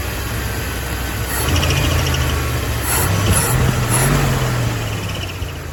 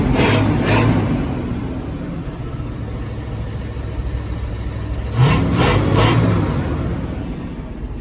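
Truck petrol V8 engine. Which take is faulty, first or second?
first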